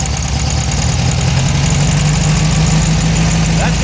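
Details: Air-cooled engine before fix: steady, fast idle with no dip or hunt, sitting well above normal, loud enough to wake neighbors; high idle caused by a too-short throttle cable, fixed by cutting down the cable's shaft so an adapter fits.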